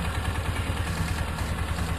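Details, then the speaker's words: 2003 Polaris Ranger 500 4x4 single-cylinder engine idling steadily on third run after resealing an oil leak at the cam chain tensioner seal (new gasket plus RTV); even low thump, light valvetrain clatter, no leaks, normal. "Okay, it's the third run on the motor. No oil leak at all anywhere yet."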